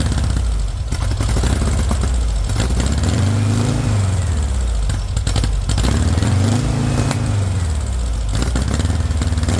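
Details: VW engine with straight pipe, first startup on starting spray: rough running rising and falling in short rev swells, then sagging as it dies; no fuel pressure, fuel not getting through, owner suspects a bad fuel pump.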